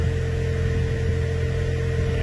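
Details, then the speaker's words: Blower motor drawing about 14 amps, with a couple of bad commutator segments: steady low hum, a constant whine near 450 Hz and a rough undertone. The blower motor bearing is failing; needs a blower motor and cabin filter. "a couple bad segments in there sounds like the bearing just made it i don't want it in it"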